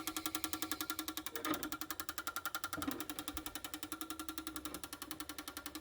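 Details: Toyota Hilux fuel injectors removed and run on a cleaner/tester bench, solenoids switched by the tester leads: rapid, even ticking about eight clicks a second, crisp and steady; normal injector operation.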